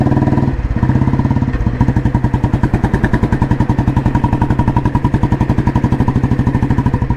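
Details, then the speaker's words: 1986 Royal Enfield Bullet restored, heavy-crank engine with Indore silencer and 3-plate clutch, just started: even, crisp single-cylinder thump at steady slow idle, no knocks or misses; healthy normal exhaust note. "അപ്പോൾ ഇതിൻ്റെ exhaust നോട്ടാണ് കേൾക്കുന്നത്. ഇൻഡോറാണ് silencer. Heavy ക്രാങ്കാണ് വണ്ടി."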